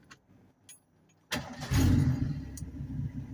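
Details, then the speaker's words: 1984/89 Ford F-150, hot restart: quick crank catches at once and settles into a low, steady, even idle without stumbling; normal hot start. "nothing to it perfect low idle"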